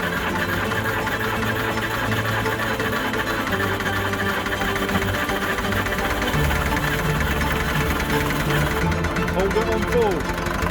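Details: Land Rover Series III diesel, rescue project after sitting in a yard for years, first start on new battery and ignition barrel: loud, uneven idle with a dull rhythmic knock over the clatter; idles on its own but revs poorly, suspected top-end knock, unconfirmed.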